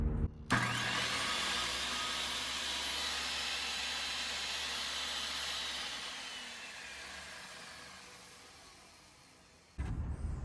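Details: Skilsaw 77 worm drive circular saw after cleaning and refilling gearbox with gear oil: spins up to steady smooth high whir without knocking or grinding, then runs down; healthy test run.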